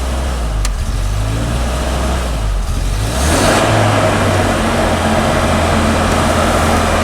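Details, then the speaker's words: 1991 Volvo 245 in park after sitting, holding a fast steady idle estimated around 2200 rpm instead of about 1200, with no dip; high idle from a faulty throttle position sensor. "off the gas it's a really high idle unfortunately my tack is a little screwy right now so I can't check the idle speed"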